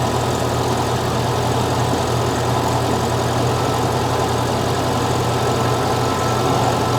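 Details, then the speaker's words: 1975 fuel-injected VW Beetle flat-four after intake boot replacement, cold start with idle raised, warming up: an even, steady low drone with no misses or ticks. It sounds strong and the valves sound good. "Well, you saw me work on this thing. Um, but it sounds strong. Valve sound good."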